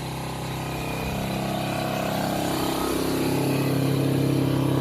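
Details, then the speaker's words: 1985 Honda FourTrax TRX250 single, first start, throttle cable not connected and float leaking: drones and creeps upward in speed, never settling to idle; no throttle control. "That wasn't idling. It's all screwed up. You had no throttle control."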